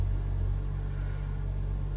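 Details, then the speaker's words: Hyundai Avante 1.6 G4FD, in its eleventh year, about 300,000 km, first start after block sleeving and full rebuild for severe piston knock: low, smooth, quiet idle with no knocks; runs evenly. "Машинка заработала ровненько, тихо, никаких нареканий нет."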